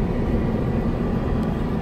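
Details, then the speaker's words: 1965 Ford Mustang I6 coupe during inspection: heater ventilation blower runs with a steady, even low whoosh, no ticking, scraping or wobble; blower working normally. "les audiences ont leur vie d'avant la ventilation fonctionne vous l'entendez sûrement"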